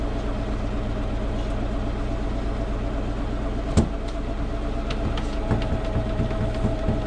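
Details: Preserved MCW Metrobus MK1 5120 (SND 120X) diesel bus idling low and rough, hunting and lumpy with an occasional stray clunk; cause unknown. The bus also has a bad diff and sometimes cannot get into third gear.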